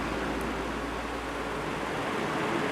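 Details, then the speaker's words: Cheap fan reassembled after repair: soft, even rush of air with no creaking or rhythmic rub; much better than before though not perfect; normal fan running. "Oh yeah, that's definitely a lot better than it was. Is it perfect? No. But I'd rather it be like this and not making creaking noises than be like it was before."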